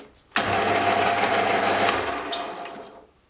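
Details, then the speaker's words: Lathe after fitting a new grub screw with Loctite to the wobbling motor pulley: spins up with a loud, steady gear whine, then coasts down; the new rattle is gone, but the gearbox whine remains, not much improved. "okay well it hasn't gotten that much better but it has eliminated the new rattling that I was hearing so at least in one respect that is mission accomplished"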